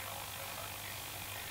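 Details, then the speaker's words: Vintage L401E valve radio brought up to 220 V: steady low mains hum under hissy muddy output, hum easing slightly; owner suspects missing earth and faulty 6AR7 valve, cause not confirmed. "can hear the hum and it's coming in so that's at 180 220 and it's still humming pretty badly but not quite as badly so it obviously needs an Earth on it"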